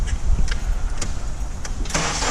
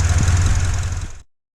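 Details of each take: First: 2004 Honda Accord 2.4L petrol with no stored codes, cranking and settling into an uneven, stumbling idle with an irregular pulse: a single-cylinder misfire traced to a shorted ignition coil. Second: 2004 Honda Accord 2.4L petrol after its shorted ignition coil was replaced to cure a single-cylinder misfire: steady, even low idle rumble with no stumbles or skipped beats before shutdown. It is idling smoothly.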